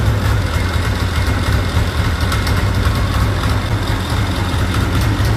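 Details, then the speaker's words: F1000 sled with Diamond Drive, started after a track change with the clutch reinstalled; rough steady two-stroke idle with a rattly clattering edge, drive clutch sounds bad; owners wonder about a clutch recall. "That sounds horrible. That freaking clutch sounds bad, man."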